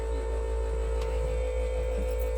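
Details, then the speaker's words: 2000 International 4700 truck with no-start from a suspected lost ground; with the ground temporarily jumpered and key on, the tone changes as the ECM powers up: steady low electrical hum with faint higher tone, no clicking; ECM powered, engine light off. "There you go. You hear the difference in the tone? That means the ECM just kicked on."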